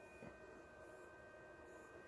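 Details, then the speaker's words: Hippo Tool ZD-8915 150 W desoldering gun (Pro'sKit SS-331H), new, heating toward 160: quiet steady high-pitched buzz, constant from switch-on and unchanged as it heats, coming from the gun itself; abnormal electrical buzzing. "oh that's interesting the buzzing is actually coming from the gun either so that was a constant sound when we first turned it on"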